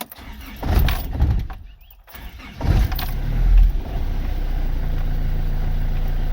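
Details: Diesel with over 500,000 km started on a cold morning from a 12V pack of six Maxwell 3000F ultracapacitors in series, no balancing: short lumpy crank, pause, quick fire, steady even idle; healthy cold start.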